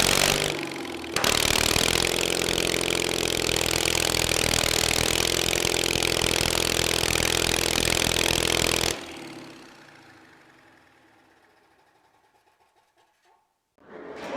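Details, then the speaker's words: Kohler 23 hp big block twin after refuelling, with new spark plugs and a sticking choke lock freed: catches after a short crank, holds a fast, steady, even beat, then shuts down; sounds healthy. "There you guys have it. We got the 23 horse back up and running."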